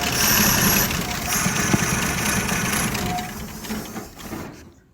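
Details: 1951 Chevrolet 3100 pickup on first start in decades, with gas in the carburetor, starting fluid and fresh oil; catches and runs rough a few seconds, then fades and quits, as the fuel pump fitted was the wrong one; engine runs briefly then dies from fuel starvation.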